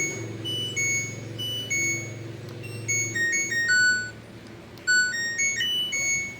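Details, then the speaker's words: LG F1014NTGW front-loading touchscreen washing machine, module repaired for intermittent error and hard starting: after touchscreen repair the board powers on normally with a short, clean chime melody of bright electronic notes; rotary knob still not working. "Saya coba hidupkan pun sudah bisa."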